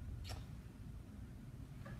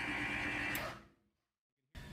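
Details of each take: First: Maxon series 5000 shutoff valve with the motor operator unhooked: one sharp click as the solenoid pulls in, then silence with no motor hum, so the motor operator has failed. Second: Maxon series 5000 shutoff valve, normal opening cycle: a snap as the solenoid pulls in with a simultaneous motor hum, which shifts in frequency as the motor pushes against the return spring, then cuts off cleanly.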